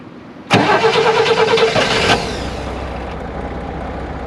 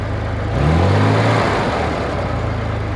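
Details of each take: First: 1965 Corvair 500 engine just reinstalled: it catches, flares, then settles to a smooth, quiet, even idle with no knocks; the throttle linkage is sticking and slow to return to idle. Normal idle. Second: 1965 Corvair 500, engine just reinstalled, warm after a 5–6 mile drive: revs rise, then the pitch sags back slowly and hangs above idle; the throttle won't return to idle, owner suspects a seized pedal hinge or wrong return spring.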